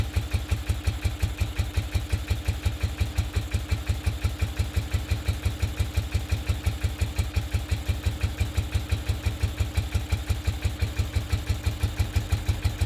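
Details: 1969 BMW R69S twin during a tune-up, idle mixture screws at the base setting of two turns out: loping, slightly lumpy idle near three pulses a second, one side firing heavier and running more fuel; uneven idle.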